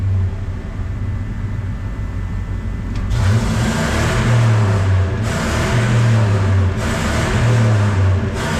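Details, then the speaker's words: Ford 5.4 V8 truck after repair and clearing check engine light: repeated clean blips from idle, revs rising and falling smoothly, no hesitation, misses or pops; healthy. "all right let's see how it runs now oh look at that no hesitation now boys listen to that it's pure American muffle all 5.4 l"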